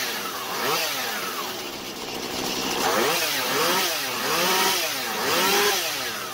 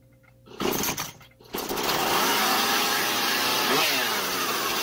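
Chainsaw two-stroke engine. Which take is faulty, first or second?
second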